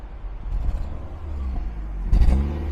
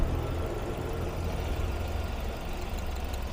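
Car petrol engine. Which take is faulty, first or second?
first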